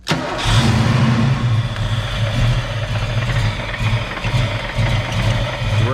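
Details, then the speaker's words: Fox Body Mustang convertible, freshly swapped 306 V8, timing set at 10 degrees: catches then idles lumpy, uneven, nearly dying; misfiring from failing TFI ignition module. "you see how bad it's basically about to die essentially it's wanting to die right matt it's going to die out"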